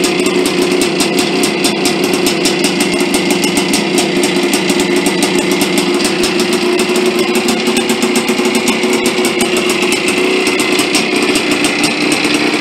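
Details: 1983 Yamaha IT490K two-stroke, first start after engine rebuild; crisp rapid crackle holding steady speed with even firing and no knocks or misses; normal running.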